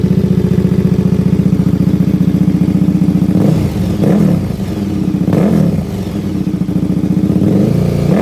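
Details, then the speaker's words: KTM 1390 Super Duke with a newly installed Dominator full exhaust, not yet tuned, fault codes present: hard fast idle pops, then sharp throttle blips with a deep bark, a really loud exhaust. "but it is really loud very loud sounds good"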